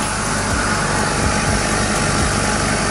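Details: Home hyperbaric chamber rated 1.5 ATA (50 kPa): steady compressor motor hum with a light, fast rhythmic pulse. It runs continuously to circulate air and remove exhaled CO2 while holding pressure. Normal compressor running.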